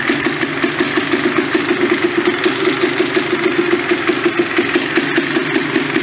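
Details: Polaris Sportsman 400 single-cylinder ATV after fixing backfiring that had blown the head gasket, with new head gasket, throttle cable and carb boot: steady, even idle thump with no pops or backfires.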